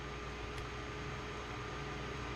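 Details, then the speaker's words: Intel Core i7-975 retro PC rescued from a shed, cleaned and repasted, with a GTX 1050 and DDR3, running a game: a steady loud airy whoosh with a faint hum as the CPU fan runs in overdrive under load but evenly. "So, I don't know if you guys can hear it, but the fan for the CPU is just it's in overdrive. It is working."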